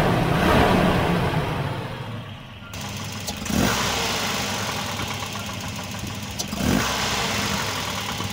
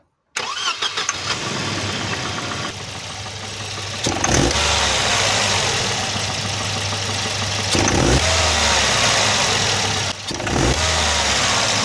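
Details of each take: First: Volvo 240 B230F Redblock four-cylinder after fitting a replacement distributor to cure timing-related pinging; runs at an even beat with no metallic ping, now running normally. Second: Volvo 240 with B230F redblock petrol engine pulling away: a fine, buzzy, wasp-like metallic rattle on throttle opening, worst when pulling away. Spark knock (pinging) appears caused by over-advanced timing; seized distributor later replaced.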